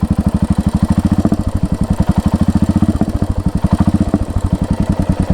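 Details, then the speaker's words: Royal Enfield Hunter 350, at idle after riding: steady single-cylinder thump about ten times a second with a metallic khan-khan clatter, worse when the engine is hot after 30–50 km; ticking noise, cause unconfirmed. "अभी check करो guys कैसी आवाज आ रही है खनखन खनखन कीवा देख रहे भाई"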